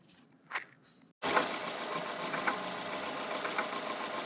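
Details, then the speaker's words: Subaru at idle after reusing the old Gates timing belt: sharp knock about once a second from the faulty new cheap timing belt tensioner, visibly popping. "hear that knocking noise that's that new Chinese jump tensioner so we couldn't replace that with the old wore-out slippery tensioner not sure if you can hear it knocking loud as day"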